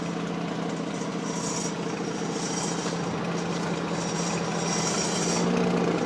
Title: Mazda RX8 annoying exhaust noise on idle